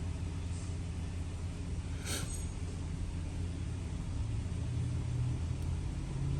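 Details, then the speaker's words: 2008 Dodge Caravan 3.3L V6 at idle, shaking intermittently, P0303 misfire on cylinder #3 confirmed by live-data misfire count; plugs, coil and EGR valve already replaced, injectors not yet; lumpy uneven idle pulse under low rumble. "ya y confirmamos que la camiseta se está temblando y ésta tiene mis fans en el número 3"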